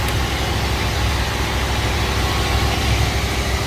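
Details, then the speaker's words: 1967 Mercury Cougar V8 just started with battery charger connected, before testing the repaired power steering ram assist: deep, even burble running steadily with no misses or knocks; a healthy idle after starting. "So as you can hear, it's running. It decided it wanted to start, so let it go ahead and charge up a little bit."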